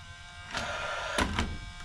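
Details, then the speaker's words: Paslode 16-gauge lithium-ion finish nailer that won't fire, fuel cartridge past its April 2023 date: steady fan whir with sharp spark snaps at each trigger pull but no firing; spark is fine, so a bad or faulty fuel cell is suspected. "now you can almost hear when I pull the trigger each time the change in the fan tone because it's giving voltage to the trigger now you can hear that spark or that change"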